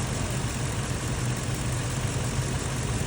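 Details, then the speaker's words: Ford truck after throttle body parts stuck by carbon buildup were cleaned with carb cleaner: deep, steady idle with no hunting, stumble or surging; the earlier rough idle is fixed. "Okay, I think I solved it. You can hear it running in the background. It's actually It's running extremely well right now."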